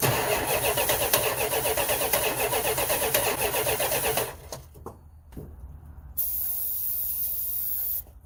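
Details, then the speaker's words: 1971 Chrysler 300 donor car, 440 V8, new plugs and wires, about six volts past a ballast resistor: fast even cranking, a couple of sharp barks, then dies; fires briefly but won't keep running, owner suspects no fuel at carburetor or hydrolock. "we know it wants to run uh yeah I don't see any way to fill up the float in here I'm going to crack our gas line here and see if we are getting any fuel up there"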